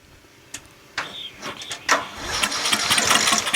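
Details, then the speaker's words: Murray 14.5 42-inch lawn tractor, battery charged only about five minutes, starting fluid sprayed in and choke used: a few slow cranks, then a ragged one-to-two-second roaring catch without settling; has compression and cranks better. "it kind of turned over a little [Laughter] it's promising definitely has compression and it's starting to crank a little better"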